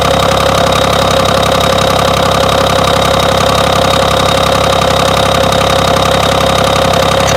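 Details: BMW engine at steady idle with a regular light knock of about two to three beats a second, persisting evenly; internal knock, source unknown.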